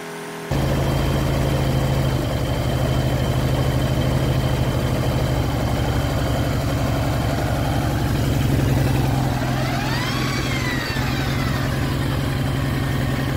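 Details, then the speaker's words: Baotian BT125T-2 125cc scooter, long stood, first start after cleaned 24mm carburetor, new ignition, GY6 50cc CDI, 12V battery: steady idle with uneven, rough mechanical clatter. Owner suspects starter clutch; cause unclear. "running strange sound oop oops oops what happened there didn't that didn't sound good oh something is wrong"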